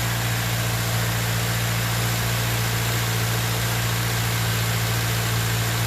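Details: 2013 Subaru Outback 2.5L idling right after serpentine belt replacement (old belt was cracked): steady, even idle with smooth low hum, no squeal or chirp from the belt; accessory drive healthy, though a slight exhaust leak is noted.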